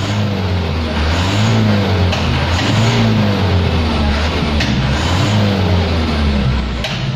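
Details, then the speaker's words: Mitsubishi Canter 2018 diesel after exhaust brake flap adjustment: revving up and down with a strong high turbo whistle on each rise; turbo sound previously vanished above 2000 rpm, now screams above 2000 rpm; normal. "Yap, sangat terlihat sekali perbedaannya ya, di atas 2000 RPM sangat menjerit."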